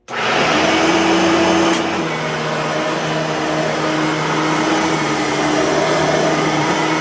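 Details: Bissell/Singer 3510 9-amp upright vacuum, somewhat worn, after a new belt and a fresh empty bag, which makes it louder than with a full bag; steady loud even motor roar, no rattles or speed hunting, normal running.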